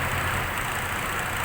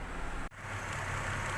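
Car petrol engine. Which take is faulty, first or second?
first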